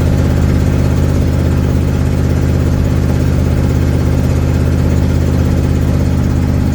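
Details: 1972 Ford Mustang driving home, phone in the dash, before repair: deep steady engine drone at cruise with loose, raspy puffing in the low end, from an exhaust leak.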